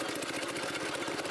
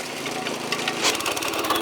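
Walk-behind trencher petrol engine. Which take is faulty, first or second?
second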